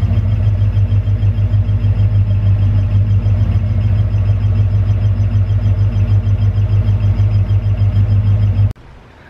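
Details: Bronco after no-start that died suddenly, fixed by cleaning an intermittent electrical connection with electronics cleaner instead of dropping the tank: steady, even low idle for about nine seconds, no misses or knocks; engine starts and idles healthy.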